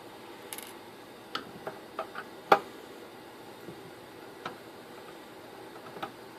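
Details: Netgear network switch opened up: scattered sharp irregular ticks about once a second with no steady hum from its cooling fan; failing fan bearing, lubricated but not expected to last.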